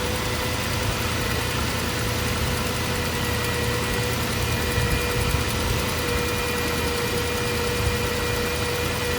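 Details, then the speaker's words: 2009 Range Rover Supercharged 4.2, engine idling: steady mid-pitched whine over smooth idle while a mechanic's stethoscope is used to locate it; owner first suspected supercharger, now believes alternator, not yet confirmed. "You basically take the end of the rod. And you tap it on parts of the engine that you're suspicious of. And it will amplify the noise. And it will help you pinpoint where your whine is coming from."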